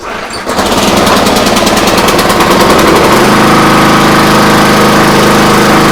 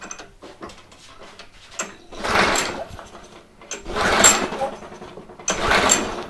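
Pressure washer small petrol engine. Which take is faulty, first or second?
second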